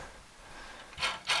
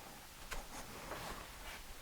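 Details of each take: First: Busy Bee B324 bandsaw after new 6202ZZ bearings in the motor and wheels: a quiet run broken by sharp, intermittent scraping rasps from the blade dragging on the guide bearing. The motor also makes a noise, suspected to be its dust cover. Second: Busy Bee B324 bandsaw motor after new 6202ZZ bearings replaced the noisy, cooked ones. The motor kicks on and settles to a smooth, steady hum with no rumble or grind: normal motor run.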